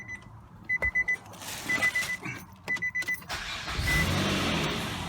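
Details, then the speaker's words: 2003 Nissan Altima 3.5, day after a transmission replacement: key chimes, then the engine catches quickly and settles into a steady idle; normal start, though the shifter or neutral safety switch may have been damaged when the transmission fell. "it's starting right now but i don't want to mess with the shifter"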